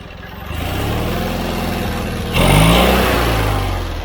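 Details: John Deere 317 riding mower twin engine after carburetor cleaning (carb was plugged; quit while mowing, wouldn't restart): runs steady and even, then picks up speed cleanly with no stumble or miss. Normal running.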